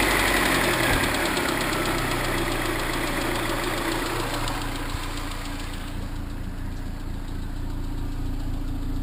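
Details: Cobalt SS supercharged engine at idle: light metallic ping-like knock/rattle three to four times a second, starting soon after the dealership installed a new tensioner; cause suspected, not confirmed.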